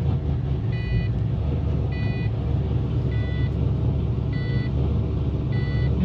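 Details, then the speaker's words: Pontiac GTO after spark plug wires checked and throttle body adjuster screw cracked open: steady petrol idle a little high, around 1000 rpm, with a chime beeping about once a second; no check engine light. "seems to be balanced out my check engine light's not on it's a little high revving for a th000"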